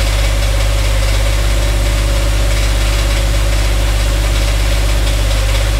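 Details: Dodge Dakota 5.9L 360 Magnum V8, truck raised, idling: deep knock about three per second under loud steady idle, loudest spots on transmission; engine or transmission source not pinned down, converter to flex plate bolts to be removed.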